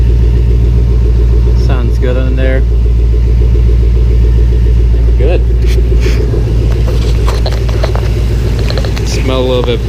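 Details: 2006 Mustang Coyote swap with reinstalled T56, idling: steady, even low rumble with smooth regular firing beat and no knocking or ticking; no check engine lights; normal idle.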